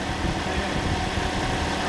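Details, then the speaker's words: Toyota with a freshly installed second-hand replacement engine, primed and cranked beforehand, no engine lights: it starts easily and settles into a smooth, even low idle with a steady rumble and no knocks, ticks or misses; healthy running. "That sounds gorgeous. Started nice and easy because it's already primed, and we turned it over a few times. Yeah, it's always a worry with the second-hand engine, but that sounds alright."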